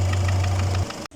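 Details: Kia Sorento D4CB diesel, overhauled about a year earlier, idling with a low hum and a sharp knock six or seven times a second; the knock was not traced to the injectors, valves or injector washers, and large piston clearance is suspected (piston slap).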